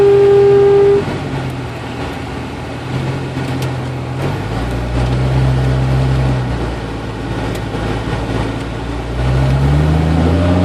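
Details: 1992 Jeep Cherokee with A/C on: intermittent steady high whine over idle, mostly at low rpm or after a quick rpm drop, stopping when A/C cycled off; overcharged system letting liquid refrigerant into the compressor, causing whine.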